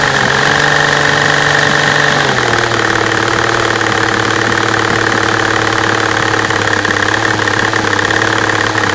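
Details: V12 engine at idle, camera on the fuel rail over cylinder A3: rough uneven idle sagging after two seconds, light injector ticking on top (normal injector noise); bad misfire.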